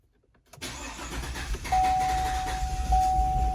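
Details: 2015 GMC Sierra 6.2 V8 with a big misfire and flashing check engine light, first suspected as lifter failure. It cranks, catches and settles into an uneven, lumpy idle that never smooths out; a broken valve spring lets a valve leak, and the intake reads pressurized instead of under vacuum.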